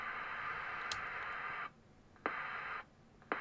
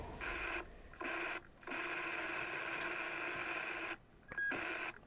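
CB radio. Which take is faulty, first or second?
first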